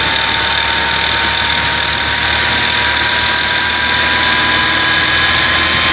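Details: Engine at idle, starting well, not misfiring, idle regulating normally, yet a constant high whine plus faint loose ticking about three per second; source and cause unknown.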